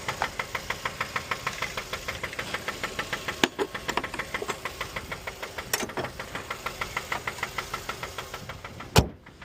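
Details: Mazda 3 petrol engine idling while running without a battery: steady, sharp knock about three times a second, rod knock.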